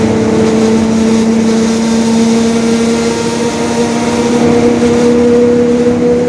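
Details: 2021 Marcopolo Torino S lengthened city bus on a Mercedes-Benz OF-1721 Bluetec 5 diesel chassis, recorded while cruising. A constant droning hum rides over the engine and road noise: a growling differential.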